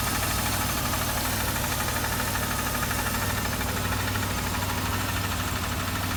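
Steady idle with a repeating knock of about three per second throughout the run; an engine knock of unknown origin.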